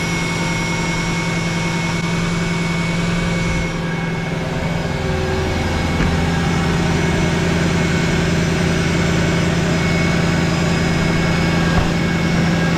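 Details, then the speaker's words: Mercedes SLK 55 AMG (R171) M113 V8 started after replacing the broken drive pulley and serpentine belt: steady even idle with constant low hum, no knocks, squeals or belt chirp; normal idle. "yes that sounds sweet so um I'm just going to close everything up clear up and take it out for a test drive"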